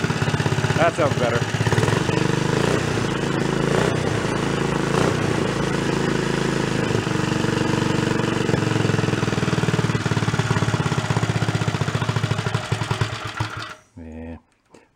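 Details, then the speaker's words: 50-year-old Rupp mini bike, small single, carb not yet dialled in, muffler just pushed on, black smoke at start: loping, uneven idle; idle circuit suspected off. Rough idle. "idle circuit is going to be a little on the screwy side."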